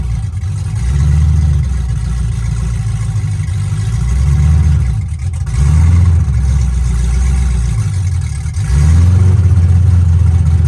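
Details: C5 Corvette drift car V8, started after installing O2 sensors, before bleeding the coolant: deep idle rises cleanly with several throttle blips and settles back each time; normal idle and rev.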